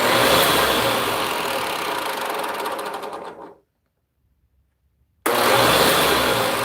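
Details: Vacuum motor tested with grill on: steady motor whine with fast light clicking riding on it before winding down and restarting; clicking source unclear, unsure if it is a problem.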